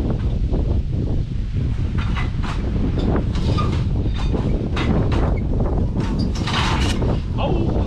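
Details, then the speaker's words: 1930 Ford Model AA doodlebug abandoned in woods 72 years, good spark and compression, run off starting fluid: low uneven chugging while cranking with rough half-firing bursts, close to catching but not running on its own. "three times where we have good sparks so there shouldn't be nothing keeping it from running because we got pretty good compression"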